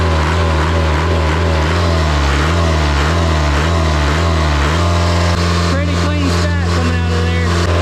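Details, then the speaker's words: Isuzu 4-cylinder 60 hp diesel from an air compressor, started after bleeding the fuel system and jump-starting. It cranks, fires and settles into a steady, even high idle with a smooth deep drone, no knocks and no smoke; healthy. "I had no idea we were in high idle, or I wouldn't have started it like that. This thing is running so good. Man, there is no smoke coming out of that stack."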